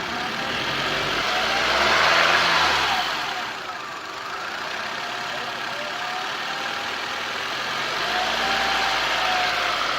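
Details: 2013 Nissan Altima coupe: mid-pitched whine rising and falling as the petrol engine is slowly, lightly revved, heard best on a quick rev, seeming to come from one side of the engine bay.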